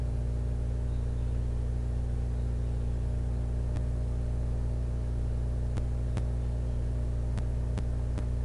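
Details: Xbox with a Fellowship of the Ring disc that has only minor superficial scratches: a steady low spinning hum with scattered sharp clicks about every second as the drive reads endlessly and never loads; cause unconfirmed.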